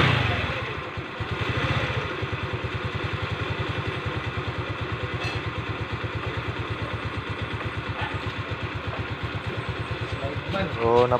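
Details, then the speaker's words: Rusi Gala scooter after its V-belt, hardened by CVT heat and causing a rubbing noise, was replaced. Even, steady idle thumps with no scraping or rubbing from the belt side; the CVT sounds healthy and the rubbing noise is gone. "bale nawala na yung parang tunog na kumikiskis mga sir"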